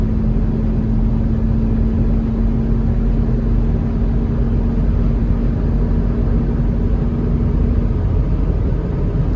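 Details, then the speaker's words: 1997 Ford Expedition Eddie Bauer at night on the highway: a steady low hum over road rumble each time the AC compressor clutch engages, cutting off when it disengages; considered normal. "you guys hear that little humming noise that's the air conditioner every time the clutch engages it makes it so it's okay folks"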